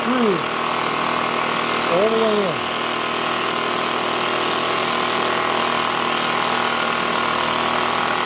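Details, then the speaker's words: Echo PB265LN leaf blower two-stroke, freed from seizure, fuel leaking: steady high buzz with a couple of falling squeaks early, idle held high; gas-soaked air filter suspected of blocking airflow, running rich. "this smells like gas so let's try it if that's soaked it's not allowing airflow [Applause] look idle screw"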